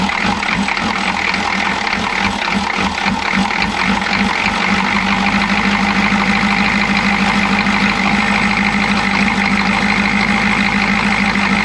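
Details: Chevy G20 van with 6.2L diesel and a grease-caked intake manifold, idle with an uneven lumpy stumbling beat for the first few seconds, then steadying; rough idle, owner suspects a timing problem.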